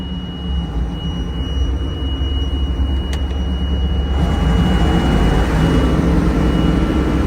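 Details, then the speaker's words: Massey Ferguson 860 hydrostatic combine, first start out of storage before corn harvest: deep even diesel rumble that lifts a little halfway, smooth and steady, no knocks or misses; normal running, sounds good. "Sounds good though. We'll grease it and take it to the field."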